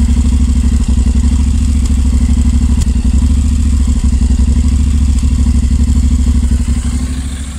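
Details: 2019 Honda NC750X, cold start after first 300 km: lumpy, uneven idle with irregular thumps and stumbles. Later check found zero valve clearance on 5 of 8 valves, dealer had called it normal. Misfire from zero valve clearance.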